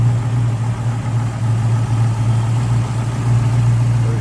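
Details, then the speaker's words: 1969 Pontiac Firebird 400 V8 with Holley EFI throttle body, heard with hood open: smooth, even idle with steady low rumble, no misfires, ticks or knocks. Normal V8 idle. "See how smooth it's running."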